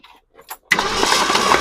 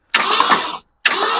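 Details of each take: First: Long-abandoned 1966 Ford Ranch Wagon ambulance cranking at an even rhythm for a few seconds without firing; oil pressure light goes off, but there is no spark, crank no start. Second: 1966 Ford Ranch Wagon ambulance, long abandoned, with an engine that was previously seized: two even bursts of starter cranking with no binding or drag, and the engine now spins freely.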